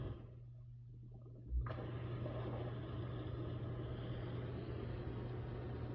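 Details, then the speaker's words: Hot tub jet pump after repair (capacitor replaced on the previously humming pump): quiet mains hum, then the pump starts into a steady, even rush of water and motor noise; the side that didn't work now runs properly. "So let's try the ones that didn't work last time first. And you see they're working."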